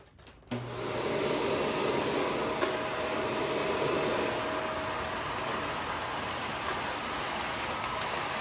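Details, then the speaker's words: Shark Rotator NV520 vacuum on hard floor, brush roll off, sweeping up spread-out debris with empty bin, clean shroud and tapped-out filters: motor gives a steady, strained high-pitched whine instead of a full air rush; filter found completely clogged. "So I'll say it did much better this time, but it sounds much more high-pitched. It really does."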